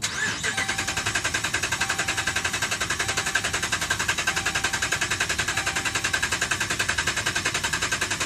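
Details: 2011 Dodge Ram, 75,000 miles: starter cranks steadily at about three and a half pulses a second, never fires; crank-no-start caused by a defective TIPM (Totally Integrated Power Module), replaced under warranty.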